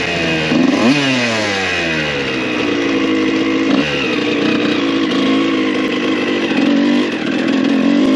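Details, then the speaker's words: 1993 Honda CR125 two-stroke dirt bike on its first ride, carb not yet serviced: the sharp note rises and falls through the gears and idles fine, but at full throttle it turns ragged and stuttery, breaking up high; cause unconfirmed. "I mean there's nothing wrong with it besides when you really get on it"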